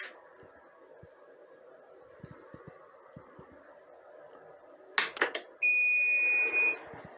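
A quiet room hum, a few sharp switching clicks, then one long high beep as the inverter takes over.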